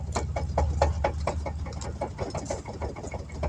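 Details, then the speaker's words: 2009 Nissan Armada, raised wheel rocked by hand over a low idling engine: quick light clunks about four a second as the tire wiggles, which it shouldn't; worn wheel bearing with play. "if you need to ever know what a bad wheel bearing looks like or sounds like it sounds like this shouldn't be able to wiggle the tire like this"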